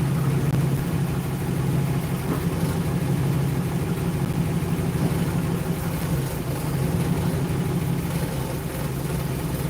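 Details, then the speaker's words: 1960 Ford Starliner after long storage, started without revving: a deep, slow, slightly uneven V8 rumble at low idle; the idle sits low, and smooths out a little later. "Little bit of low idling right now. I would have revved it a little to wake up the idle, but I was already climbing out."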